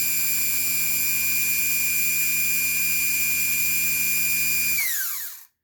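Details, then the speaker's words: HWH RV hydraulic pump motor RAP91244, bench test after replacing worn carbon brushes: after a poor initial contact, a strong, even high-pitched whine with no scraping, then a smooth wind-down. Motor runs normally. "Well, not making good contact. There she goes. Sounds good."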